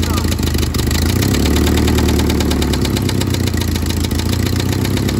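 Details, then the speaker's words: 1972 Toyota Celica 18RC, first run in 26 years, rebuilt carburetor: loud, deep, uneven, clanky idle with clattering and puffing from an exhaust leak; no blow-by; rod knock joked about; exhaust and intake manifolds to be replaced. "we got no blow by that's a good sign sounds a little bit clanky but once we get that changed out it will sound better"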